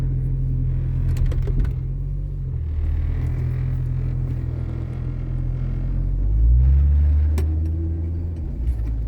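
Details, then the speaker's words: 1996 Jeep Cherokee XJ, first drive after front axle install, in 4-low, slow: deep rumble with sharp clunks and rattle, no four-wheel drive, fine in 2WD; owner rules out ratio mismatch, cause unclear; clunk and rattle. "Wow, whatever that is rough. Huh. Well, we're still good in 2-wheel drive. Did you hear all that nightmare mess?"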